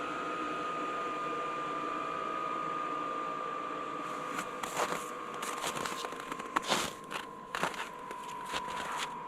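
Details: Vevor 8 kW 12V all-in-one diesel air heater on its first start-up, unprimed, with about a liter of diesel. The fuel pump clicks as it draws diesel over a steady fan whine while cold air still blows out. Normal start-up.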